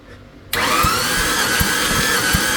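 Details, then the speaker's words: Engine on compression test after tightening rockers: steady starter whir with only faint, soft thumps roughly every three-quarters of a second; this cylinder shows very low compression. "oh man oh man that one like M we dead yeah we did oh we are dead"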